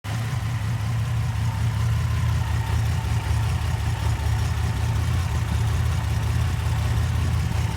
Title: Light #4 misfire